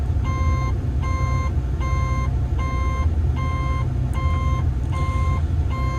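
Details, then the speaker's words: Diesel construction plant machine warming up before a regen, steady high cab warning beeps a bit over once a second over low diesel rumble; diagnostics show no active codes or events, cause unknown. "that is strange that's generally tells you there's something wrong"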